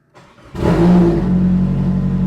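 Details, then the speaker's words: Nissan S13 started after sitting untouched for a few weeks since a drift event. A short crank catches at once and settles into a smooth, steady idle. This is a clean first-crank start. "heard that it didn't even need a crank it literally started first crank"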